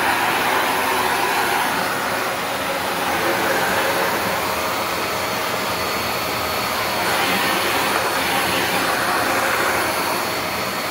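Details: Shark NV355 vacuum bought in 2018, about 3 years old, converted to hose mode with strong flow; steady rushing airflow with high, even unwavering motor whine; normal running.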